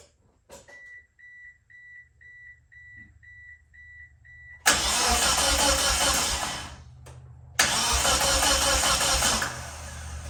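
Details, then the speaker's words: Race car being prepared for the 2024 season, with the battery put in and a troublesome jump box: warning chimes, then two long, even starter cranks that never catch. No fuel pump sound is heard and the ECM link won't connect; it cranks but won't start. "I did try starting the car. I don't even hear the fuel pump kicking on or anything like that. So I'm missing something."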